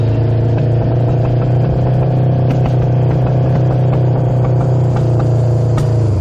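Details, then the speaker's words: Honda CB750 revived after 33 years in a barn, first run: steady deep four-cylinder drone with scattered sharp exhaust pops from a partly plugged muffler still blowing out debris; otherwise runs smooth without shutting off. "well first Ry on this thing went pretty well we still hear the popping out of that pipe that's kind of plugged up and stuff is still flying out of there"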